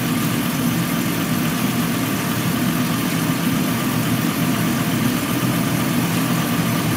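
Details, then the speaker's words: 2007 Chrysler Pacifica with codes P0205/P0305, engine warmed up, cold shop: steady, even idle hum with no skipping or stumbling; not misfiring, running smooth. "right now we can tell it's not misfiring it's actually running pretty smooth"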